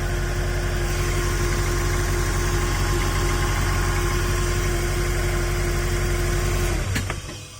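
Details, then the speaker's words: Porsche 986 Boxster started with the drive belt off to check for noise after a bad water pump pulley was found: smooth, even idle hum, then switched off, with no noise from the engine itself. "Alright, no more engine noise, so it's a good thing there's no engine"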